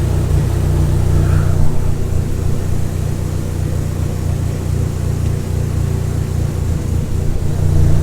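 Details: 2004 Dodge Neon SRT-4 starting after bad PCM connectors and wires were replaced and soldered: the engine catches and settles into a steady, even low rumble with no misses or knocks. Normal idle.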